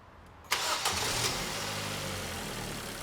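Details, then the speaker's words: 2002 Ford Focus 1.4 petrol with P0304 cylinder 4 misfire and P0420 catalyst codes, after repair: quick crank, catches cleanly and settles into a smooth, even idle with no stumble or miss; normal idle after start. "already I don't know if you can tell but that's just sounds a million times better"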